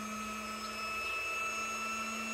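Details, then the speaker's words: Welding-helmet filtration unit (CleanAIR AerGo, with Omnira COMBI air hood; airflow 160–210 l across 4 levels) under a blocked-airflow test: steady high blower whine as the unit automatically raises fan speed through clogging levels, alarm expected at level four. "Možete slušati kako filtarska jedinica automatski povećava brzinu filtera , onečišćenje raste na prvu razinu, drugu razinu,"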